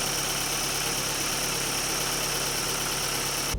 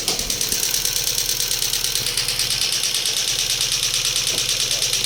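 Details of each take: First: Daewoo Lanos petrol engine at idle after replacing four rockers (a fallen-out oil gallery plug had starved the hydraulic lifters): steady, even hum with no lifter tapping. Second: Daewoo Lanos petrol engine idling with a steady sharp ticking about three times a second from the hydraulic lifters. Replacing the lifters changed nothing; a plug fell out of the oil channel, affecting oil pressure to the lifters.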